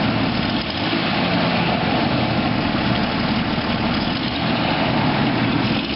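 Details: 1993 Jeep Grand Cherokee after exhaust manifold replacement, with new power steering pump and radiator: steady, even idle with a low rumble and no ticking or puffing from the manifold; the exhaust leak is much reduced and it sounds sealed.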